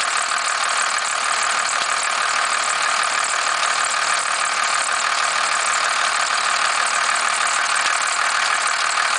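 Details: 1991.5 First Gen Cummins 12-valve diesel, cold start around -10°: steady busy metallic clatter at idle, slight squeal; weird knock/rattle whose source owner cannot pinpoint.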